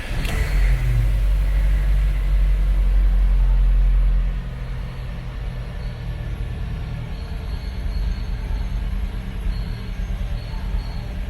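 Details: Car engine's first start after rebuild, on stand, plug leads connected: cranks, catches with a loud rev, then drops to a steady, even idle with no knocks.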